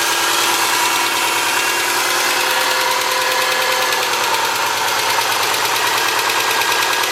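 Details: 2003 Subaru Forester, 178k miles, ~150 miles after head repair for a dropped valve guide, cold idle. Fast, light, even ticking from the driver side, steady with engine speed: exhaust valve clearance on the front cylinder was .029 instead of about .010. Fixed by adjusting the clearance.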